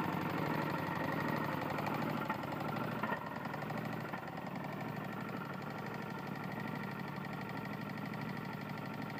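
Small single-cylinder engine idles with a dull, uneven knocking, roughly three or four a second, that points to a worn connecting rod.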